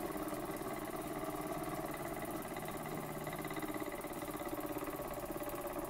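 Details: Burnac Vulcan model steam engine running under steam with pressure set by the regulating valve: even, steady chuffing at about three and a half beats per second, with no knocks or hiss bursts. It runs healthily, though the sight glass leaks.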